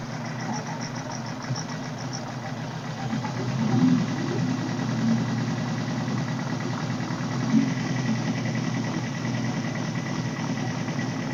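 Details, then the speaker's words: 1978 Suzuki GS1000C after carb cleaning, choke on: uneven lumpy idle with wandering beat and sharp pops/backfire; number 2 carb float needle held open by debris, flooding cylinder 2 and dumping fuel from overflow hose. "So that one backfire, and then this overflow hose started dumping fuel underneath the bike, which was from the number 2 carb. The float needle had a chunk of something in it."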